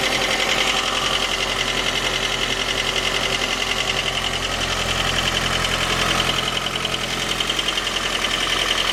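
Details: J20A engine, 2010, running cold: sharp steady knock, two to three per second, over the idle. Began around 10,000 km and grew worse after oil changes; valves, compression and oil pressure normal. Cause: scored crankshaft journal, cylinder 3; short block replaced.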